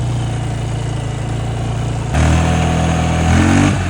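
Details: 2009 Polaris Sportsman 550 XP EPS after transmission reassembly and refill, shifting into high range; steady idle then smooth climb in engine speed under load, no clunks or grinding through gears, shifts nice: normal transmission shifting.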